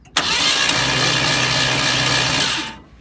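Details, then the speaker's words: 1972 Ford Maverick Grabber, factory V8, parked a decade, engine turns by hand, fresh battery just fitted: steady starter cranking about three to four turns a second for over two seconds, never fires; cranks but won't start. "turns over completely by hand I just stuck a battery in it and tried it and it rolls over"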